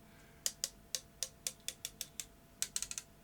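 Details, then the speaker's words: Maxell BetacamSP tape leader drawn out after a manual emergency eject from a UVW-series player. About a dozen sharp, dry ticks crackle unevenly, because the leader tape has gone sticky and glues itself together, so it doesn't reach the sensor. "it's gone sticky this whole piece of leader tape has gone sticky and was gluing itself together"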